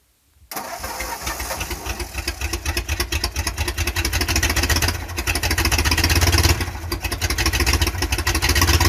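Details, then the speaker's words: 1951 Ford F-100 flathead V8, first start in 30 years, running on sprayed fuel: fires after a short crank and keeps running with lumpy, slightly uneven beat, revs rising and falling; normal running. "that's pretty damn good though I got her running I told you I'd get that"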